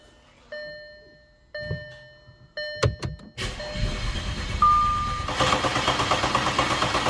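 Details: Audi A5/A6 3.2L petrol engine, first start after major repair for internal coolant leaks, oil pan redone: dash chimes, short crank, fires promptly into a smooth, even idle with no knocks or misses; oil pressure confirmed, no leaks, healthy start.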